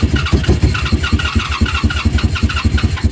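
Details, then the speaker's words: 1987 Honda Super Magna with new battery and spark plugs, warming up with choke fully off: probably too much throttle makes a lumpy, loping beat that sags and stumbles, then it dies. "oh boy now I messed it up probably giving her two too much gas too much"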